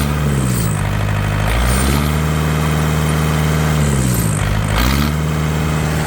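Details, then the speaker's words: Yanmar TK486 4-cylinder diesel on a stand, no coolant or radiator: steady, even idle with a couple of smooth throttle blips, all four cylinders firing cleanly, no misfire or rattle. "Well, that definitely is a lot smoother, 100%."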